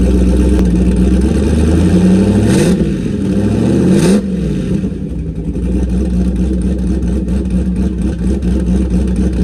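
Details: Car with new turbo and MAP sensor, started to check a leaking water pump gasket: two smooth throttle blips then steady even idle without stumble; running normally, no leaks so far.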